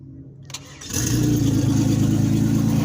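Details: Turbo Venture van, first start in months after fixing cylinder 5 dead misfire with no injector pulse by running a new wire from PCM pin 30: brief crank, then clean steady even idle.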